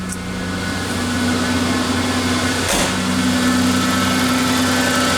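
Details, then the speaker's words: 1988 Ford Ranger 2.9L V6 after manifold pressure sensor replacement and new idle air control valve, warming up: even steady idle, no hunting, misfire or shaking, exhaust no longer noisy; normal idle. "but yes folks listen to that motor purr and you noce it's not shaking back and forth anymore"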